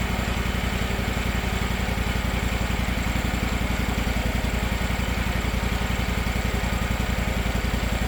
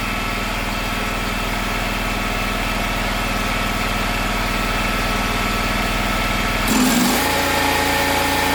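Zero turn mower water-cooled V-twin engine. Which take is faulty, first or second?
second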